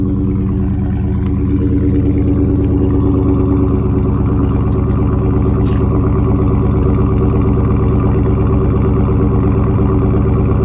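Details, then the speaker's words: Dodge Charger Scat Pack 392 widebody, salvage auction car with crash damage, check engine light on: deep, steady V8 rumble with even firing and no knocks, ticks or misses; sounds like a beast, normal healthy engine running. "definitely sounds like a piece definitely sounds like a beast man"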